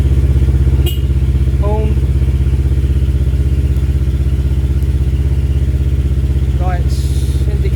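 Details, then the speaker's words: Kawasaki KLE 650 A7 auction bike idling in neutral before a short test ride: very loud, deep, even idle thump at about three pulses a second; the exhaust is missing its baffle and needs one fitted. "It is mental loud and it does need a baffle on the back, but this is a well-known exhaust, so I should be able to get one easily enough."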